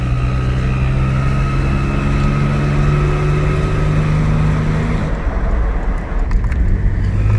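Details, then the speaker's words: Supercharged 2002 Nissan Xterra running: faint steady high-pitched whistle over low engine drone from a small exhaust leak at a rust-corroded flange; first suspected timing chain guides or intake; bolts sawed off in repair. "so it's not much of a leak but it's enough to cause this high-pitched sound"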